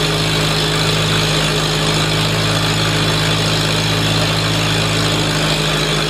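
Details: Farmall Super A tractor, newly running after ground and wire repairs restored spark, warming up: steady, even low idle with smooth unbroken beat, no knocks or misses; healthy normal idle.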